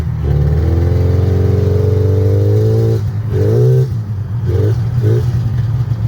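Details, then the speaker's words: A $25 used two-stroke snowmobile on a cold trail ride, after a suspected fouled plug: the buzz climbs steadily, then crisp short blips rise and fall cleanly with no misfire; running strong again. "That's running fine, huh? It's fine now. This thing is just as fast as my Indy 500, dude."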